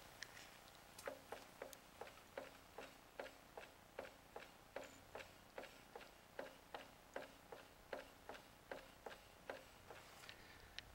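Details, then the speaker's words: Fiat Ducato after a cambelt change that required lowering the engine, in neutral: light sharp clunks about twice a second as the wheel is wiggled, from driveline free play. Also clunks on clutch release; source, clutch or transmission, unconfirmed. "so here it is in neutral and if I wiggle the wheel you can hear a slight clunk I"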